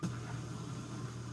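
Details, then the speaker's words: Miele dishwasher after repair for draining with no cycle selected, cycle 3 started: drain pump runs with a steady, even low hum, no rattle or grinding, at cycle start, normally for about a minute; normal operation. "the beginning of a cycle but it should only run for about a minute"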